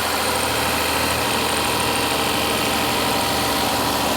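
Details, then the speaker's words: 2024 Mazda CX-90 3.3L inline-six idling after spark plug replacement: steady, even hum with no knocks, misses or surging, no check engine light; running great and smooth, normal idle. "Yeah, she's running great. Nice and smooth. So, man, these things run smooth."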